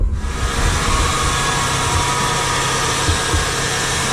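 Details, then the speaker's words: 2000 Nissan Maxima cold start just after Injen cold air intake install: steady hiss with faint high whine over engine drone; source unknown, pulleys suggested by others. Cause not confirmed. "That noise, I don't know what it is. People are telling me it might be my pulleys. I don't know. If you guys think know what it is, let me know."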